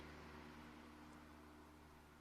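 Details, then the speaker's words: VW group gen2 1.6/2.0 TDI diesel after a fuel filter replacement, in-tank fuel pump run via diagnostics basic settings before starting: faint steady whine as the pump fills the new filter with diesel; normal priming that protects the injectors and high-pressure pump. "I don't know whether you can hear that, but there's a whine there of the in-tank fuel pump pumping the diesel into the fuel filter."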